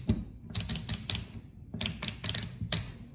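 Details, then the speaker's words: EPS-5 wrap spring clutch with torque exceeded: spring mechanism jammed on hub, shaft and collar, so at each stop the solenoid plunger shoots out and strikes the collar, giving sharp metallic taps in quick irregular bursts, about five per second at times. "entonces empezaré cada vez que sale golpea contra el collar y se escucha"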